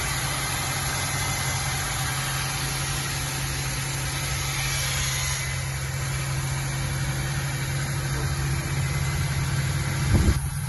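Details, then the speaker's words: Ford Mustang 3.8 V6 on its first start after cylinder head assembly, cooling system not yet connected: steady, even hum with no knocks, misses or ticks. Normal idle. "First start. Yes, that sound is good."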